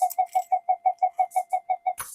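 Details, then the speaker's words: Minelab GP Extreme metal detector fitted with GPX power connector and voltage regulator for an 8.4 V lithium battery: mid-pitched tone warbling about six times a second then cutting out, the "alien spaceship" sound; flyback pulses unstable on the oscilloscope, suspected PLL or power supply fault. "So it may even, if it's not the PLL, it might even be in the power supply. It might have spat the dummy."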